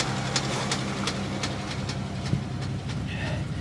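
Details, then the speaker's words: Pontiac G8 GT V8 listed as a non-runner, idling in snow: sharp regular light ticks about 165 a minute over steady idle from the top end; possibly recent lower-intake work swapped the different-length intake and exhaust pushrods. "i hear a that's not a knock is it that's an upper end tap okay it's an upper end knock"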